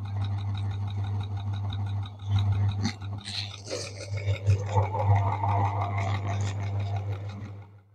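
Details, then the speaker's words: Ceiling fan running, mic attached: steady motor hum with uneven clacking about three knocks a second; not necessarily bad bearings, possibly a worn plate seat letting the rotor rub the stator, fixable without bearing replacement. "दोस्तों आपने देखा कि अपने पंखे में से किस तरह की आवाज आ रही है दोस्तों पंखे के अंदर से आने वाली हर आवाज का मतलब यह नहीं होता कि बेरिंग ही खराब है"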